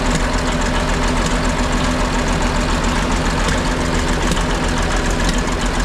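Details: Ex-military 1959 International dozer, left at a scrap yard for months, on fresh batteries: after running a couple of minutes the smoke cleared. Steady, even low diesel rumble with no knocks or misses; idling healthily.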